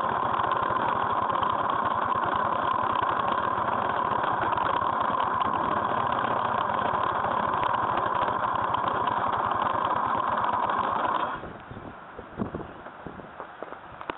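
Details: GY6 scooter engine: steady idle with a quick, fairly regular ticking on top at about three to four a second, then the engine cuts out; abnormal engine noise, cause unclear.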